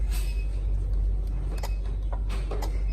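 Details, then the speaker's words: Vehicle AC compressor clutch tested by jumping out the powertrain relay to apply power: sharp clicks over a low engine rumble as the clutch pulls in. The clutch engages normally, so the relay is suspected if it fails in service. "you hear it engaging right there. So we know that if it's providing power, but it's not working, then it's probably the relay."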